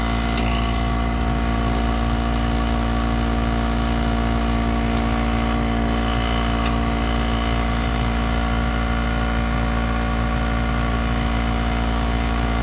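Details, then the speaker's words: 1991 Snyder General furnace after its clogged port was cleared and the control board got voltage: a steady, loud, low drone with a rough, uneven buzz; the motor is running but sounds unhappy, and a capacitor is suspected. "Yeah, now I got voltage at the control board, so all it was is a clogged port. That motor doesn't sound happy."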